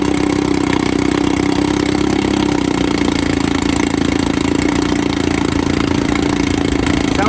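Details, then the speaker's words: 1954 Evinrude 7.5 HP Fleet Twin outboard at first start after new coils, cleaned points and a carb rebuild (new gaskets, float, needle): the old twin burbles at a steady, even idle with a light, regular beat and no misfires; normal idle. "Actually, idle good here."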